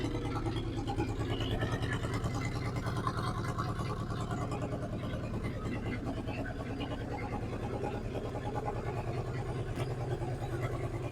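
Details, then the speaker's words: 1963 Ford F100 unibody, Y-block V8, three-speed, idling after 20+ years off the road: low even rumble, has oil pressure, no valve train noise at all, quiet as a church mouse apart from exhaust clunk; normal idle. "it's obviously has oil pressure cu there's no valve train noise at all that pumpkin is right there from that exhaust pipe this motor is quiet as a church mouse"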